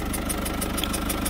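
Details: Citroën C4 Picasso 1.6 HDi 110 diesel, cold idle with fast even tick over the clatter, compression escaping past leaking injector seals, carbon buildup at the seal; injector seal compression leak.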